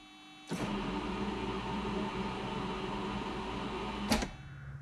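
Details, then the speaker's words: 1982 DeLorean DMC-12 barn find, stored 20+ years; on a start attempt the starter whirs steadily for about 3.5 seconds without cranking the engine: it is freewheeling because the solenoid is not engaging the starter gear into the flywheel. "Unfortunately, that sound you heard was not the sound of the engine turning over. Instead, it was the sound of the starter down here just kind of freewheeling. The issue is the solenoid is not pulling back and actually engaging the starting gear into the flywheel."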